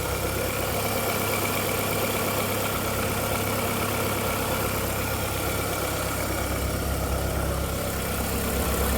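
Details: VW Golf 4 1.6L 16v 105 hp petrol at steady idle with light, fairly regular clack-clack, roughly three a second; startup whistle gone after 2–3 minutes, owner suspects timing side. Clacking noise at idle.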